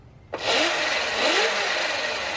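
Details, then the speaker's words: Sur Ron Light Bee MX electric bike, first run after installing the Electro & Company EMXRon controller kit, small throttle: clean electric whine climbing and dipping smoothly, no grinding or clicks; motor runs normally. "Okay, I'm gonna give it a little throttle. Oh, it runs."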